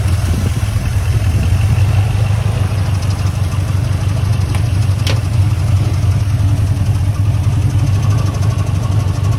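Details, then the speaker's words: 1979 Ford F-150 Custom tool truck, sitting since 1999, revived and fires right up: deep steady low rumble holding an even idle with no stumbles or knocks; V8 idling smoothly. "I've got a put the phone down for a sec while I crank it over foreign it fires right up right up okay"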